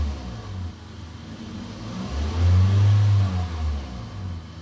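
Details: Toyota Corolla Altis with a hard-starting problem from air in the injectors after fuel pressure loss, pump primed: a deep engine note swells with the throttle and eases back cleanly; revs without shaking and the RPM reading is fine.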